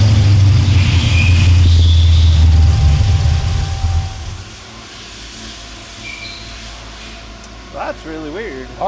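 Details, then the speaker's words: El Camino project with 480 transmission during tuning, after timing set and rev to about 3,000 rpm: strong low note sags and fades as the engine dies; acts fuel-starved, vacuum leak suspected, unconfirmed. "Yeah, that's what it's acting like is it's running out of fuel. Just like that."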